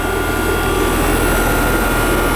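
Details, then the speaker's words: Old Trane condensing unit reported not cooling, outdoor coil cleaned by owner's son who suspected capacitor: constant hum and airflow whoosh, no knocks or cycling; refrigerant charge fine, warm air discharged, running normally. "Oh yeah, we're good. Yeah, everything's looking good there. Yep. Charge is fine."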